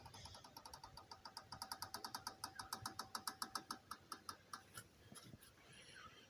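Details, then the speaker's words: 2009 Hyundai i30 front wheel rolled slowly by hand: rhythmic gritty swoosh like a dry seal, heard when cornering right and braking, gone on acceleration; machining warped rotors didn't fix it, replacing the rust- and water-damaged hub bearing did. "Very strange noise. I think it's a wheel bearing."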